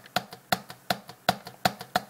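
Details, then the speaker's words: Lenovo ThinkPad T420 after repair, keyboard corner pressed firmly: sharp plastic clicks about three per second, each with a faint loose buzz, as the deck flexes badly. It sounds like loose plastic bits hitting each other; keyboard flex rattle. "it sounds like there's, you know, there's, you know, bits of plastic loose in there just hitting each other."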